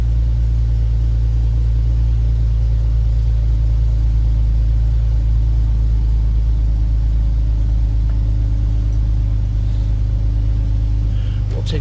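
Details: 2011 Jeep Wrangler JK, almost 130,000 miles, idling: smooth even low rumble holding steady throughout, no tapping or rattles; oil pressure good, no warning lights, no leaks underneath; healthy idle.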